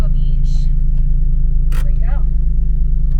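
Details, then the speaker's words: Toyota-based 2GR-FE V6 from a blown-engine Lotus Evora idling: deep, uneven, lumpy low beat with no clean rhythm; cylinder 5 has no compression and is not firing. "everything on this engine besides the fact that cylinder 5 is not getting compression is good"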